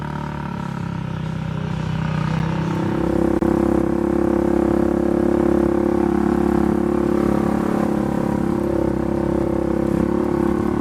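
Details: Polaris 570 ACE engine rebuilt after a dropped crank and rod caused a hard knock; new crank, valves, buckets, high-compression parts; even, steady note with smooth firing rhythm, no knocks or rattles, running cleanly.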